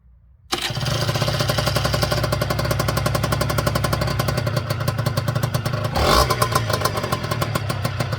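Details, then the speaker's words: Honda NSR 125 two-stroke, cold on choke after recharging a battery at barely 12 V: silence, then engine catches into a ragged, crackly idle with a brief blip, staying running. "udało się udało się Honda działa odpaliła pierdzi buczy ale nie gaśnie"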